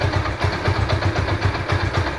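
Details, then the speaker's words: Yamaha SZ-R single after engine sound repair: low, even idle thump with a steady beat and no ticking or rattle; normal idle. "पहले का sound में और अभी का sound में कितना डिफरेंट है आप बता सकते हैं और कमेंट करके बताइएगा"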